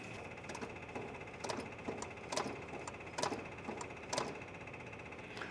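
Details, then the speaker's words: 1979 Jeep Cherokee parked 21 years, cheap electric fuel pump priming before first start: quiet steady high buzz with uneven ticking about once a second that then quiets down; noisy pump, fuel expected up at the carburetor. "Oh, definitely a new sound out of the pump. Oh, it quieted way down. All right. It's definitely a noisy, awful, cheap pump, but we should have gas up at the carburetor."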